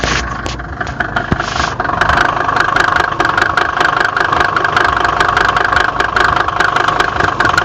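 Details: Mercedes OM605 diesel idling with a sharp, fairly regular knock about two and a half times a second over the normal diesel clatter; source of the knock undetermined.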